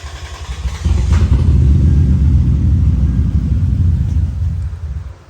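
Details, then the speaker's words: 2003 Lexus IS300 that cranked but wouldn't start with fuel smell, running after injectors 1, 2 and 6 were unplugged: rough, lumpy, uneven low rumble sagging near the end, missing badly on three cylinders. "unplugged number one number two and number six injector and it fired up missing like crazy of course on three cylinders but it fired up"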